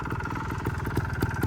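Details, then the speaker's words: 2011 Sherco 290 ST two-stroke trials bike after fresh coolant, started first kick: quick, steady, even idle with no knocks or misses; compression read a little low and the top end may need rings. "But yeah, she idles good. Started up first kick."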